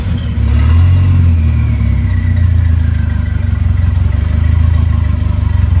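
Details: 2.3L turbo four Lima-swapped into Smokey on PIMPX batch-fire engine management, warming up after first start for base timing check; strong steady low drone swelling with light blips and settling back, no knocks or ticks; normal running.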